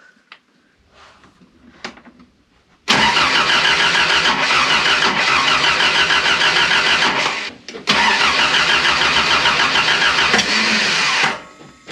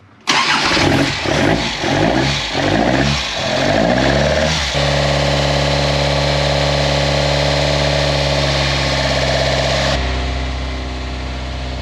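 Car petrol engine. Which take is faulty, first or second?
first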